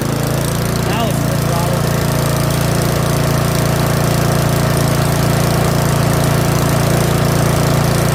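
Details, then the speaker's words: Curb-find Yard Machines 21-inch snowblower with 179cc OHV single-cylinder engine, choke off, full throttle; fast steady chug that runs a bit unevenly, owner suspects old fuel, not confirmed; rough running. "That's actually a full run. Runs just a little bit, but might be old fuel."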